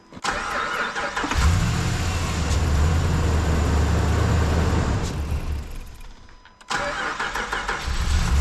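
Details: Dodge Ram 2500 Hemi; wiggling the corroded TIPM (fuse box) connector with the engine running, relays clicking and dash flashing security lights, the engine runs rough, dies around six seconds, then cranks back to life.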